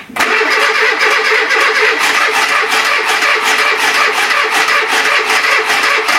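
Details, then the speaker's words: Renault Trafic, rebuilt junkyard C1J S 7000 engine unrun about 15 years, after a gear is refitted the right way round: steady cranking with uneven catches and stumbles that never pick up; it fires but won't keep running. Owner suspects flooding. "là il est peut-être noyé je vais voir demain comme je t'ai dit si j'arrive pas à le faire démarrer je remets l'autre directement comme ça là tu vois il entend il voudrait démarrer"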